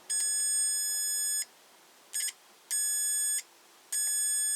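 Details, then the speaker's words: Multimeter set to continuity (diode/dial) mode before testing 12 V bulbs: short bursts of high steady beeps, four in under five seconds, each sounding while the probes touch; continuity mode works. "Chúng tôi dịch con trỏ sang chế độ này và khi tôi đóng hai điểm tiếp xúc giữa chúng, sẽ có tín hiệu"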